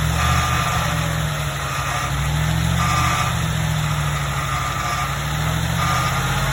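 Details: Ford F150 truck at idle: rough grinding undertone with a faint high screech that comes and goes.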